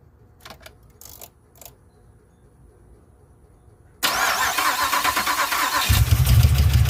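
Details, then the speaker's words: 2007 Pontiac Grand Prix GXP, first start after a stage 3 cam with HP Tuners VATS/DOD delete, stock 42 injectors: cranks and catches into a ragged, stumbling, popping idle. An injector is seen spitting fuel. "so it doesn't sound very happy but it does crank with the key and it starts"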